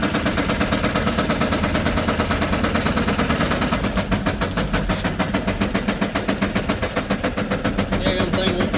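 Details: 2006 GMC 5500 Duramax LBZ diesel driven after losing oil pressure hammers with a loud, rapid metallic knock in time with crankshaft rotation; rod knock.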